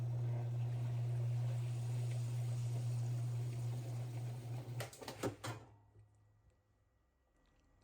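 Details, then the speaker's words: Whirlpool/Roper top-load washer, cabinet off, pump not connected, after the not-spinning repair: motor hum spins about five seconds, then sharp clunks and sudden silence as the brake grabs hard instead of stopping smoothly; washer brake hard lockup on spin stop. "a hard lockup. We can fix that if it keeps doing it. Let's try it again. It should actually break a lot smoother. That is very hard lockup."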